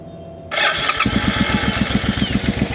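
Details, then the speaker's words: Suzuki motorcycle after replacing the fuel inlet line and running it from a bottle: it catches after a short crank, then settles into a lumpy, even popping about seven beats a second, like one cylinder firing. The fuel pump isn't heard running, and the owner suspects no fuel is getting through. "So, we're gonna let it rip. And that's going, but that's one cylinder."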